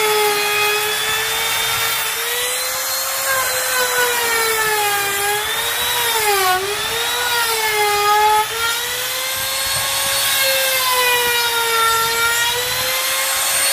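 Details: Grizzly T27139 quarter-inch trim router, about 4 months old, with a brand new bit at full speed in scrap hardwood: high steady whine dips slightly as the bit bites and recovers smoothly; normal cutting.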